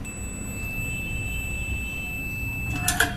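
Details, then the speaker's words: Rice cooker secondary heat coil tested with multimeter continuity across its two wires: a steady high-pitched buzzer beep for about three seconds while the button is pressed, stopping on release; coil intact. "చూడొచ్చు మీరు, button press చేసినప్పుడు మనకు buzzer sound అయితే వస్తుంది."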